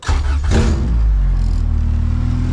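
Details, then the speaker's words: Honda CRX with swapped B20Z engine, restart, possibly aftermarket fuel pump heard: brief crank, catches almost immediately and settles into steady low idle with no misses; quick clean normal start. "fire it over one more time here it sounds like it has an aftermarket uh fuel pump"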